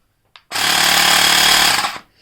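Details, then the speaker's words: Xiaomi Mi Portable Electric Air Compressor, rated under 80 dB: loud, steady, fast rattling buzz for about a second and a half, evenly paced. Small inflator pump running normally. "As you can hear, the volume is so loud, but it's not that irritating. According to the specifications, it is less than 80 decibels."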